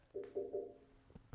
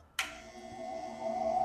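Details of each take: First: Fabricated steel pedestal for a Dayton bench grinder, before the inside is filled with Great Stuff Wide Gap foam: three short tinny rings from light taps on thin sheet metal, each dying away quickly. It sounds hollow. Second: Dayton bench grinder on its pedestal after the pedestal has been filled with Great Stuff Wide Gap foam: after the switch click it spins up to a smooth, even hum with a steady tone and no ringing or vibration. The earlier tininess is gone, running normally.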